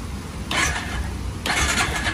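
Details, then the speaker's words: Honda Rancher 350 ATV, bought cheap, with new solenoid and battery fitted, before oil is added: two short bursts of quick, even starter cranking with no clicking or grinding. The engine turns over freely. "she turns over boys and I'm gonna put the oil in make sure there's no leaks and then she should be good and she should run hopefully"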